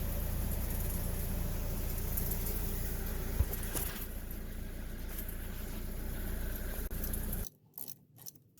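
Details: Toyota (rear-wheel drive) with a loud noise from the rear wheel that rises with speed; deep steady rumble with a faint rhythmic pulse as the rear wheel spins, from a worn rear wheel bearing that is then replaced.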